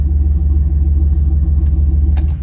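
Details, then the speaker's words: Turbo LS V8 truck with 3-bar MAP sensor, HP Tuners tune from stock file, startup on lean fueling: deep idle with uneven lumpy pulse and rhythm dips, stumbling as fueling is off. "see how it kind of stumbled like it wasn't really happy"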